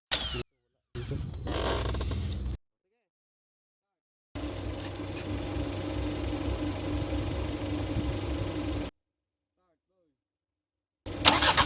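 A steady, even engine hum holds for about five seconds with no misses or knocks; the engine settles into a smooth idle.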